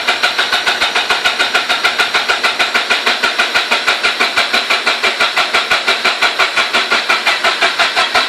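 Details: RX-8 rotary engine won't start: starter cranks at an even beat, about three pulses a second, for several seconds without catching or firing.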